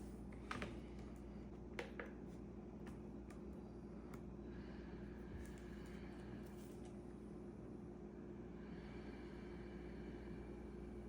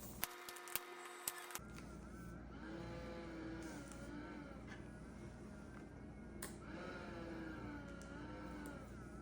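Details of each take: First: ResMed AirSense 10 CPAP after replacing the blower motor to cure whining on inhale: quiet steady low blower hum with no whine, then handling clicks. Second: ResMed AirSense 10 CPAP: thin whine rising and wavering with each inhalation through the mask, from the worn blower motor; replacing the motor fixed it.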